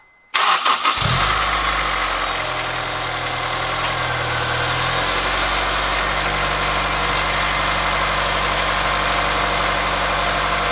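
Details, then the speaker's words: Honda S2000 after replacing the timing chain tensioner: quick start then an even, smooth idle with a steady low drone, much quieter, with the previous ticking gone; normal idle. "up sounds a lot quieter I don't really hear any of the ticking noise anymore"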